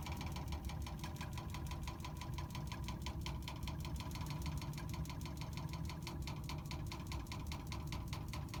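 Fast, even ticking knock, about five or six a second, steady throughout over a low flow rumble: the meter is knocking.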